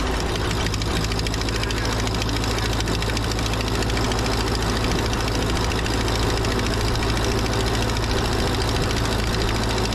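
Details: 80+ year old Ford 9N tractor after fitting a new coil: steady low four-cylinder chug at even idle, no knocking; smoky as suspected critter nests burn out of exhaust, exhaust leak at rear cylinder four.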